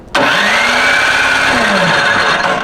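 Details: Free snowblower recovered from water damage with fresh oil, good fuel and compression: even cranking whirr for about two and a half seconds with no firing; spark test light doesn't light, no spark.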